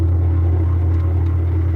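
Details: Classic Kenmore washer that would not wash or spin because of a broken motor-to-transmission coupler, heard after the repair with the agitator reinstalled. A steady, even low hum with no knocking or grinding. Normal spin.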